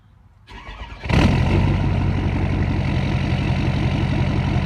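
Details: 2012 Ford F550 6.7L Powerstroke diesel before the resonator install, mic 16 inches from the exhaust tips, about 88 dB: starter cranks briefly, then a loud, deep, even idle burble; steady and healthy.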